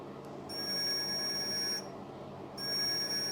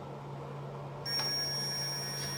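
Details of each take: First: 1968 BSA Bantam ignition timing setup, continuity tester across the points while turning the engine backwards from top dead centre, about five degrees before TDC: steady high-pitched beep, briefly dropping out; points still closed. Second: 1968 BSA Bantam ignition timing setup, multimeter continuity tester across the points with engine at top dead centre: silent with points open, steady high-pitched buzz when the points close; good continuity across closed points.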